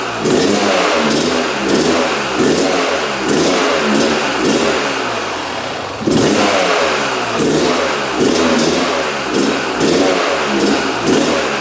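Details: 1997 Yamaha YZ250 two-stroke dirt bike, seller said it wouldn't start; on choke with fuel on, it fires first kick but won't idle, crackling through rev blips about every second and sagging between; right crank seal drawing transmission oil suspected.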